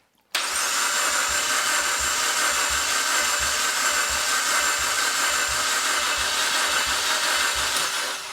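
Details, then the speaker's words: Cheap used eBay engine just installed in a 4x4 build, first key turn: the starter spins it fast and even at about three beats a second with no compression strokes. No compression is suspected; the coil connections are still to be checked. "sounds like an engine turning over that's not actually making any compression"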